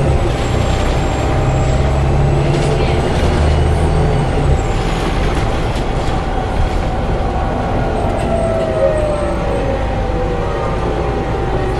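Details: Onboard Arriva Yorkshire Alexander ALX400 bus, fleet 665 (W665 CWX), on service 410 from Leeds to Stourton: steady mid-pitched howl over the diesel drone while running. Source unclear, possibly driveline.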